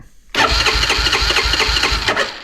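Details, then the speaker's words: 1987 Honda FourTrax ATV after 3-4 months sitting over winter cranks but won't start; even cranking about four to five beats a second, never catching; spark checked good, compression untested, owner fairly confident it's a fuel issue. "I'm fairly confident that it's a fuel issue"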